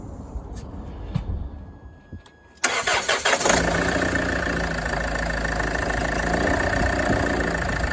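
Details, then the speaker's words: Land Rover Freelander 2 engine cranks, starts and idles with a light plastic tapping near 160 a minute from the right-hand side of the engine; alternator freewheel pulley found seized. "It's like a plastic um tapping noise. I believe it might be the alternator pulley. Might be on its way out."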